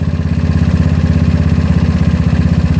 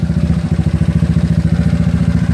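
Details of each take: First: GY6 scooter single-cylinder with OKO PWK 30mm carburetor, mixture screw backed out far while tuning: idle turns slow and uneven, pulses sagging as if about to die, from an overly lean setting. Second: GY6 scooter with OKO PWK 30mm carburetor, warm after about 50 minutes running, after idle and mixture screw tuning: even single-cylinder putter, steady with no stumbles; idle now smoother, normal idle.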